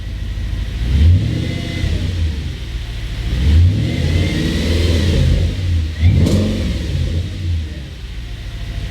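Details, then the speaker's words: B7 Audi RS4: revs rise and fall, and a faint siren-like whistle appears as the engine drops back on throttle lift-off, usually between 1,000 and 2,000 rpm when really cold; source unknown. "You see, it's kind of like a little siren, like a ambulance or something siren. It's obviously not a siren sound, but that's what it sounds like. See, and it's between 1 to 2,000 RPM usually while it's really cold."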